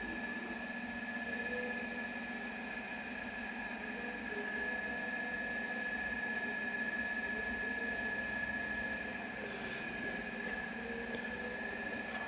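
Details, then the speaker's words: Hisense inverter air conditioner that kept shutting off within a minute because a mouse chewed a wire, after the wire was reconnected: steady, even hum with a constant high tone and smooth fan rush, no knocks or cut-outs; running normally. "Yaxshigina aylanyapti, bu kameraga sekin ko'rinyapti-da."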